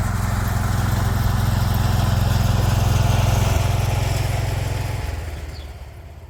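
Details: 36-year-old Toro Wheel Horse 416-8 garden tractor, first run after a leaking fuel line that kept fuel from reaching the carburetor was fixed: steady, even single-cylinder thump at constant speed, no misses or surging, winds down smoothly; running normally.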